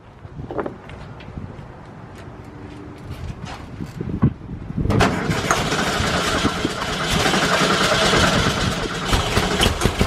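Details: VW Bus first start after new fuel lines fitted: brief clatter, then fires and settles into steady even low idle with no misses; fuel still leaking at the fuel pump.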